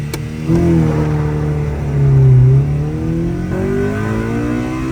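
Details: 2000 Honda Civic Si (EM1) B16A with rebuilt head, Skunk2 intake manifold, on stock ECU: full-throttle pull, pitch climbing smoothly, note turns louder and harder partway through as VTEC engages, no misfire; normal.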